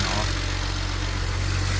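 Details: 2007 BMW 335xi N54 with 135,000 miles, idling after first start following turbo replacement, some oil burning off: steady, even, smooth hum with no knocks or wastegate rattle. Normal idle.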